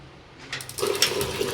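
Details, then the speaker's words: Gas geyser that used to bang loudly with flames flaring out, after cleaning and refitting the rubber sheet and gasket: a soft click, then a steady water rush and a quiet burner whoosh with no popping or bangs, so it now lights cleanly. "बिल्कुल बहुत अच्छी तरह से चल रहा है। इसमें कोई आवाज नहीं आ रही है एक्स्ट्रा ना कोई भबक मार रहा है ना कोई लुक कोई गीजर से बाहर आ रही है।"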